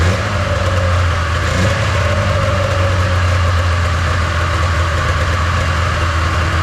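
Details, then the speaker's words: 1997 Polaris Indy 500 snowmobile, revived after sitting outdoors: it fires and runs okay with a busy, steady two-stroke idle that sits too high and never settles, so the idle needs adjusting down. High idle speed. "it seemed to run okay it's seemed like it's uh idling too fast I'll have to adjust the idle on it a little bit"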